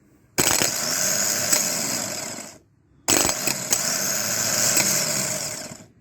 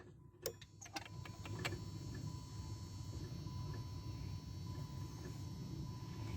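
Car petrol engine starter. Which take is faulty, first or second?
second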